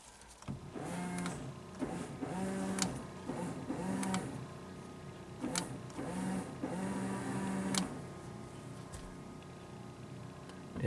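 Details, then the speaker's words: Silhouette front wiper motor, newly fitted aftermarket module, tested on accessory while unmounted: short even motor whirs about every 1.5 seconds through delay, low and high speed, then parks and stops cleanly; wipers previously stuck on, now working normally. "beautiful low speed high speed you can hear it let's just try the lay speed"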